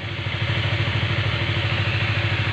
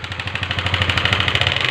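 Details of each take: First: Honda CBR150 LED that came in with a noisy engine, after cleaning the oil passages so oil reaches the cylinder head: an even, soft single-cylinder putter at steady idle with no clatter or ticking. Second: Honda CBR150 LED engine at idle after starting: sharp, fast metallic ticking about twenty a second, louder with throttle; valve train clatter from the cam starved of oil by a blocked head passage.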